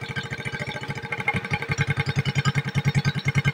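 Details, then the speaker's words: Suzuki Smash 110 carbureted motorcycle after carburetor idle adjustment for a no-idle, stalling problem: small single thumps at an even, quick idle around three and a half beats per second, no longer stalling; normal idle. "nah ini sudah enak ya kedengaran bunyi langsamnya itu sudah enak ya dan tidak mati-mati seperti tadi lagi ya"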